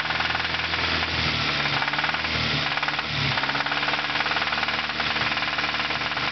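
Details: 1992 Acura Integra DB1 petrol engine revving with fast, heavy metallic knocking, rod knock from a bad rod bearing; owner expects the rod to break before a replacement engine goes in.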